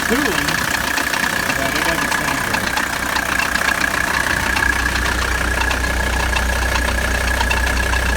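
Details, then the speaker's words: 1985 Mercedes 300D diesel idling during AC recharge, second can of refrigerant, system starting to cool: thin steady whine and rough rattling over idle clatter; AC compressor noisy, owner suspects it may not be any good. "Compressor's starting to get noisy. It may not be any good. It doesn't sound too good."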